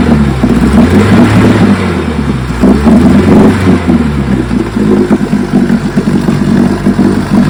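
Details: 1957 Johnson 15 HP outboard, first run in 60+ years after rebuilt magneto, carburetor and lower unit: buzzy two-stroke note, revs rising and falling, firing steadily without stumbles or rattles; runs healthy.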